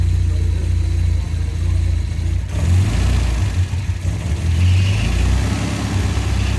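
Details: 1971 Volvo 1800E B20 four-cylinder on first start after a stop-gap head gasket replacement (bores rust-damaged) and fresh oil, run before re-torquing head bolts: idles evenly and picks up cleanly on light throttle blips, no hiss or misfire.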